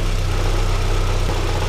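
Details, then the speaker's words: VW Citi Golf 1.4i after replacing the MAP sensor to cure over-revving idle: short stretch of steady, even idle with smooth low hum, no hunting or surging; revs return to idle normally. "i put in a brand new map sensor okay so it's idling nicely okay leaving it up okay it comes back down to its idling so the main pulse was the map sensor i replaced it okay"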